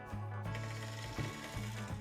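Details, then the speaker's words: HO scale Bachmann BQ23-7 locomotive on a test run after a repair attempt on its cracked gears: steady motor hum with a regular clicking catch about every half second; somewhat better but the gear is still cracked. "and it fires straight up. It sounds like the cracked gearing is a little bit better, but it's still definitely cracked."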